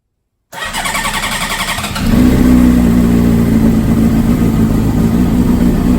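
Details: 2005 Honda CBR600RR, 4,299 miles, rebuilt after wreck, sat a long time: cold start, starter cranks about 1.5 seconds then catches cleanly into steady, even run; normal cold start.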